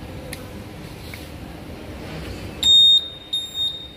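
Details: Honda Vario 150 keyless with no electrical power, after cleaning and tightening the standby-current connector: over a quiet room a clear high beep sounds once long then twice short; the keyless system has power again.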